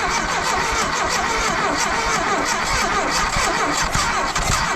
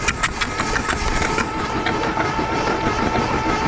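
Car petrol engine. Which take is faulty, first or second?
first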